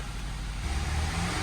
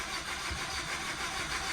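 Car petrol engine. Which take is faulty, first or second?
second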